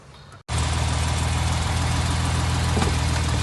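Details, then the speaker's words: 1970 Mercedes 280 SEL after power steering pulley and belt repair and reinstallation of the repaired radiator, running about 5 minutes: a smooth, even low idle rumble with no knocks or squeals and no coolant leaking. The engine is idling healthily. "So, I went ahead and started the car. It's been running for about 5 minutes."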